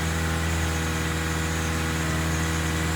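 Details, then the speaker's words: 2006 Toyota Corolla (9th gen E120) that had a rough idle and off-idle stumble, just restarted after the fix: smooth, steady idle sitting slightly high with no stumble or miss; it should settle once the idle is relearned. "sometimes you can help it by putting it in drive yeah that's raging a little bit but it'll learn its"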